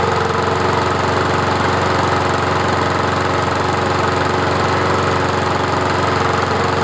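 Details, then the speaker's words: Murray 20-inch mower with 4.75 HP Briggs & Stratton engine, hydrolocked from overfilled oil past the rings; after clearing the cylinder, it runs at steady fast even single-cylinder patter burning off oil; normal running. "What I'm going to do now is I got to run it so it burns off all the oil. It's going about to get really smoky."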